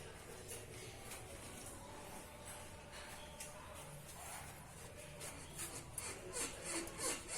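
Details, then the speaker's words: 2012 VW Voyage (generation 6) with suspension rocked by hand makes a dry rhythmic creak about three a second, worse on cobblestone streets; worn stabilizer bar bushing, which was replaced. "o trabalho da suspensão para vocês verem ficar em barulho que o barulho típico aí de defeito na bucha da barra estabilizadora"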